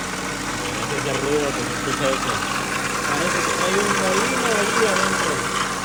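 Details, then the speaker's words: 2003 Ford Focus engine idling with uneven scraping, chirping noise riding over it; with the belt off it points to a worn-out water pump. "aquí estamos trabajando en este for Focus que tiene un ruido cuando prendemos el"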